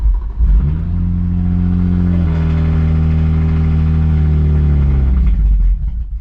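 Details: Remapped BMW 135i that developed misfiring; spark plugs and coil packs were cleaned. A steady low engine drone that shifts its note and sags unevenly. Rough, erratic idle from a faulty ECU.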